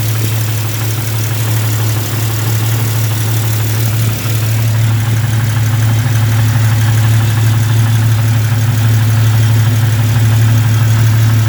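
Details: Jeep idling with a steady low drone and sharp ticking about three per second from an exhaust leak at a cracked exhaust manifold, later welded up and fixed.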